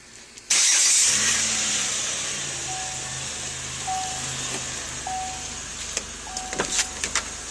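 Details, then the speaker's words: 2006 Chevy Impala, heard under the hood: thin mid-pitched chirp about once a second on remote start or switching climate control heat/cool, stops after a while, also after shutoff; owner suspects A/C, cause unknown. "So, I'm thinking it has something to do with the air condition, but the sound it it'll make the sound temporarily, then it just stop."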